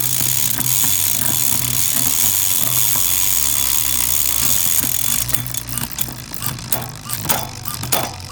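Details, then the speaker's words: Shimano Di2 after derailleur adjustment, out of adjustment mode, shifted through all gears up and down: fast freewheel ticking with crisp chain clicks across the cassette, each shift landing cleanly; normal shifting. "so now I'm just going to shift my gears all the way up and down to make sure everything shifts normally after I take it out of adjustment mode"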